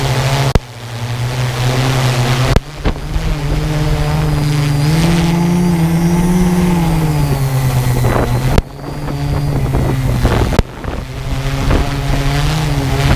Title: strange noise from go pro and quadcopter